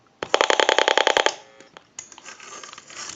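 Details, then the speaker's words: Western Electric 202 rotary desk telephone, heard through an amplified receiver pickup while dialing: a rapid train of about ten sharp, loud clicks, then quieter line hiss; rotary dial miswired, missing the connections that squelch receiver clicking. "so that heavy clicking that pulse signal noise in the receiver indicates that the rotary dial in this case has been wired improperly"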